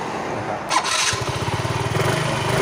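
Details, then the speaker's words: Yamaha Fino fuel-injected scooter that died while riding and then would not start, after throttle body cleaning: brief crank, catches at once into a steady, even putter and revs well; starts easily and runs clean, normal start. "ติดแล้วก็เร่งดีอยู่นะครับแดงก็คือยังดีนะครับผมก็น่าจะไม่มีปัญหาอะไรนะครับ"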